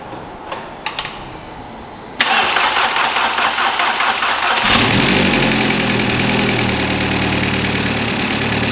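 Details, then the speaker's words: Audi TTS EA113 big-turbo freshly built race engine, first startup with air filter loose and vacuum lines not yet connected: brief cranking, fires and settles into a smooth, even idle; healthy start. "That runs really nice."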